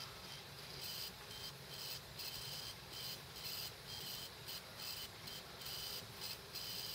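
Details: Dead laptop hard drive running with cover off: quick high-pitched seek chirps in irregular bursts about every half second over faint hiss; probably died from the computer parking the head every minute or so (suspected OS X/power-save firmware interaction).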